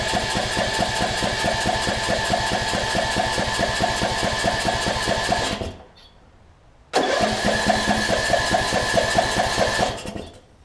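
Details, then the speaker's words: 2007 Craftsman LT2000 riding mower with a Briggs & Stratton single-cylinder engine, which had sat a while and backfires on starting. It is cranked, spins in pulses twice and won't catch; it seems to get no spark. "So it's spraying something up there. It doesn't seem like it's getting any spark though."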